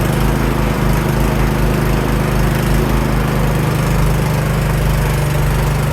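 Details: Cub Cadet 524 snowblower after repair for rough running, started on choke with primer and throwing snow in freezing weather. A steady, low engine drone with even firing under load; it runs smoothly and works.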